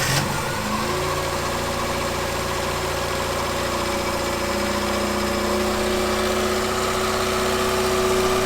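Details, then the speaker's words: Ford Fiesta MK2 XR2 after hydraulic lifter and valve stem seal replacement: steady smooth idle, previous rattling tappet noise completely gone; normal idle. "right so as you can hear everything in the engine bait is miles more smooth than it was before um that annoying rattling tapity noise is completely gone and the car's running really smoothly"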